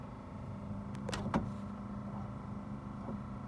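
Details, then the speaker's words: 1970 Chevelle wiper motor, wipers not installed, tested from under dashboard with first restored wiper switch; quiet even electric hum with light clicks, no straining; kicks on at low speed, then high and parks properly; switch working normally. "and as you can see, it kicked on. That's good. High speed, okay, and then parking."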